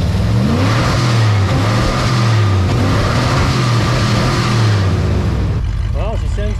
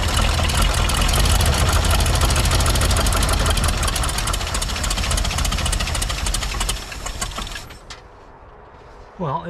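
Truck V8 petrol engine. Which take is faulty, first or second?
second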